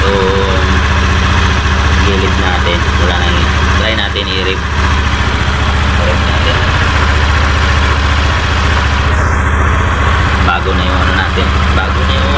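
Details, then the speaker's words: Honda Beat FI v2 scooter after the crankcase bearing's worn copper centre was replaced with a new ordered part, steady even idle with a smooth hum; the earlier ticking, gravelly rattle from the CVT side is gone; normal idle. "wala na Ganda Naikot wala na yung M paltik paltik dito yung akala mo yung ano gumagaralgal"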